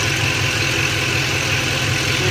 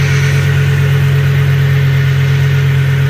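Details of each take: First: 2007 Ford F-150 4.6L 2-valve V8 with a P0306 cylinder 6 misfire code, at idle after swapping the cylinder 6 coil: a steady, even low rumble with no stumbles; no misfire is felt right now. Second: 2007 Ford F-150 4.6L 2-valve V8 idling with a lumpy, uneven beat from a dead cylinder: P0306 cylinder 6 misfire with the engine shaking, diagnosed by swapping coils. It was ultimately fixed without parts, root cause unknown.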